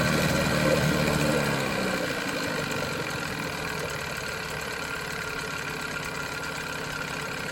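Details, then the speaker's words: 1987 Johnson 9.9 two-stroke outboard after water pump impeller replacement, one pull, no choke, after sitting 24 hours: brief higher rev then even steady idle with smooth beat, no stumble; previously choppy idle, now healthy. "That's pretty good. I'm not I'm not unhappy with that at all. No choke, one pull after sitting 24 hours to pop off an idle like that. I cannot complain. That is better than brand new."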